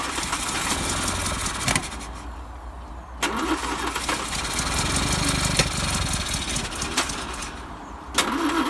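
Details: 1955 Land Rover Series One, rebuilt engine first start after about 50 years, refurbished starter, timing being set: uneven cranking catches and runs roughly a moment then dies back to cranking; owner suspects fuel pipes. Rough cranking and brief running.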